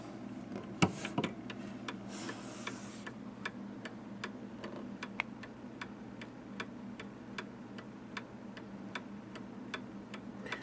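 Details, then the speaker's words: Restored 1807 Gilbert mantel clock with adjustable-length pendulum, tested to about 27 seconds off in a week; crisp, even ticks at roughly two a second with a steady beat in a quiet room, running healthy and in beat. "the inner workings work perfect yeah and um I've tested it and in a week's time it's less than a minute off"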